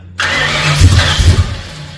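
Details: Freshly rebuilt Ford 302 Cleveland V8, Holley Sniper injection, new electronic distributor, first start: fires abruptly, runs ragged with uneven low thumps and surging, then begins to settle; owner suspects lifters needed to pump up with oil.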